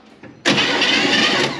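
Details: 1957 Chevy Bel Air 2-door hardtop, V8 believed to be a 283, garage kept since '76 and ran when parked, cranks on the starter during a compression test (readings 90–150): about a second at an even pace with no drag or catch, healthy compression.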